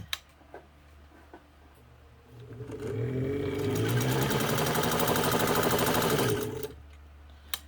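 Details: Kenmore 117.552 (Kenmore 55) sewing machine, cleaned, leather-recovered friction pulley tire, new motor and pedal wiring, straight-stitch test: even stitching clatter about three beats a second, smooth start and stop, no binding; sews really well, normal running.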